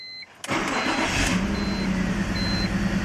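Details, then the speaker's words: BMW E46 petrol engine starting and settling into an uneven, lumpy idle; shaking, stalling and check engine light; code P1343 misfire on cylinder 1 persists after swapping coil packs, attributed to a bad coil pack. "so after running the codes again if we get a different code it's p1343 quick check on Google and that is misfire on cylinder 1 so we know it's bad coil pack"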